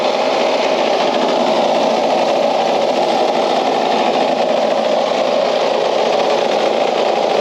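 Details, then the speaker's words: Craftsman LUV (lawn utility vehicle) riding mower revived after not running: a loud, steady small engine with a buzzy, rattly edge, shaking hard enough to vibrate the fuel cap off; cause not yet found. "all right I just noticed my fuel caps laying down here it just vibrated right off that's not [Applause] good"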